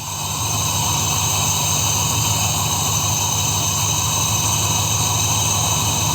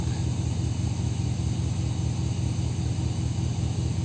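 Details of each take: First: 2002 Dodge Ram after engine washing let water into the coil area, check engine light flashing, blowing sound at exhaust: uneven, loping idle with a steady high whine; unplugging the first two coils changed nothing, so those two cylinders are dead and misfiring. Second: 2002 Dodge Ram V8 after water from an engine wash was cleared from the coil and spark plug wells on one bank: deep, steady rumble with an even beat, no misses, check-engine light no longer flashing; normal idle.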